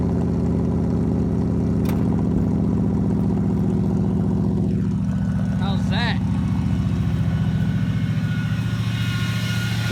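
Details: 1975 Ford F-100 V8, parked 17 years, running after a brand new 2100 carburetor replaced a rebuilt one that wouldn't run right, plus new coil, plugs and wires; steady, even low burble with no misses, knocks or ticks; normal idle.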